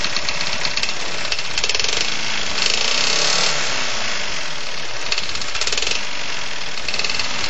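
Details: Champion mower with a Tecumseh 3.5 hp engine, reportedly never had an oil change: hard, fast knock about four per second over the exhaust; knocking badly, owner suspects a rod bottom-end knock, unconfirmed.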